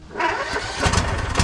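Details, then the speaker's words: Husqvarna YTH21K42 ride-on mower after fitting a shorter 100-inch deck belt (previous belt too long, kept falling off the drive pulley), blades engaged and disengaged: steady even low thrum, no belt slapping or squeal; normal running. "I'm going to start it up try to engage the blades disengage a couple times because that's when the belt would fall off so let's try that"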